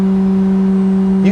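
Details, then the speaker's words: Emco UMill 630 CNC spindle at 11,500 RPM: steady loud hum at fixed pitch with buzzy vibration, spindle resonance at this speed, more than usual but not a spindle fault. "Now, every spindle is going to resonate differently at different RPMs. And I want to give you a quick example of that here. I want to turn my spindle on at 11,500 RPMs."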